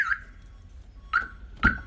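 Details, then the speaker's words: Car flip project, car unstarted since 2019 and jump-started with a booster pack: three loud, bright alarm chirps at uneven intervals over a quiet background; the alarm works properly. "the alarm Works which is a good sign let's go"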